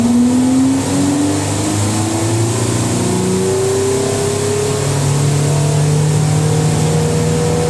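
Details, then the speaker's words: 1980s Ariston by Colston Electronic 3000 spin dryer, auto pump version, rinse load a little unbalanced: motor whine climbs smoothly as the drum gets to speed, no thumping or wobble; smooth, normal spin. "Smooth though, look at that. I love that."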